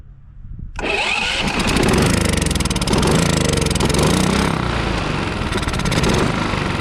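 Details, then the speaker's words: Westinghouse iGen4500DF inverter generator, stored almost a year, runs only on starting fluid sprayed into the air intake. It catches abruptly and runs loud, uneven and lumpy. Owner suspects the old fuel and plans to pump it out. "well she runs which tells me that uh the issue is probably in the fuel so let's get that old gas pumped out of there"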